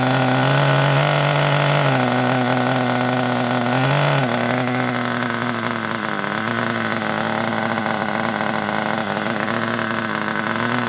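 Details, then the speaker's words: Kyosho Pure Ten (P10) Alpha nitro RC car after pull-start repair, fitted with a non-original exhaust, possibly running very rich: high buzzy two-stroke note blips then settles into steady even run; running normally. "Sounds good with that exhaust on, doesn't it? That's not a proper exhaust for it."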